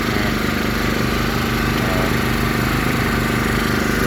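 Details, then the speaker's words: Paralleled WEN 56380i and GN400i inverter generators in eco mode powering one AC and the fridge, about 25% load on one meter: steady, low, even drone with no surging or hunting; normal light-load running. "It's running much lower. It was at 50% before, now it's at about 25% load on the 1 meter there."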